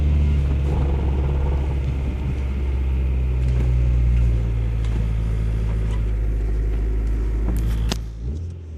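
Steady deep rumble that drones along under the car at an even level, the kind of low hum a worn bearing gives. Cause suspected, not confirmed.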